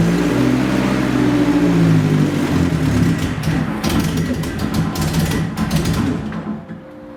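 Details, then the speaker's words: Nissan 240SX first start in two years after rebuild onto a new chassis: catches and runs smooth for about a second, then settles into an uneven, hunting lope; rough loping idle, cause not yet known. "It actually sounded like it was running perfectly for like 1 second, and then something happened and it started loping almost."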